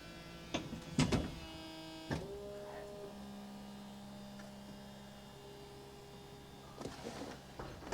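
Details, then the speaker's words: 2000 Mercedes SLK 200 Kompressor (R170) roof and windows operated with engine off, as the alternator is suspected dead: a few clunks, then steady even electric motor hums; windows including rear quarter lights go down, hardtop mechanism all working normally. "Oh, everything's working. Windows are down, including the rear quarter lights."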